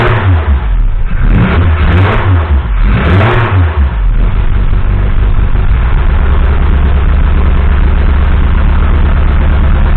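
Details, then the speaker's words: Mk1 Cortina restoration, first run of the newly fitted engine with no coolant system, fabricated fuel line and pressure regulator: blips up and down, then settles to a steady low run with a slight stutter; owner blames unset ignition timing and slightly-off fueling. "there's a bit of a stutter but that's because um still to do the ignition timing properly and get the fueling tweet clearly off a little bit"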